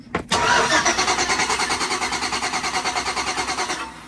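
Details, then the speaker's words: 2006 Chevy Tahoe 5.3 LS, crank no-start: steady even starter cranking, about three pulses a second, never catches; brand-new cam position sensor gives zero signal despite 10–11 V supply, possibly a bad new sensor. "I don't have any signal coming out of it zero nothing brand new cam bad brand new camp position sensor that's possible"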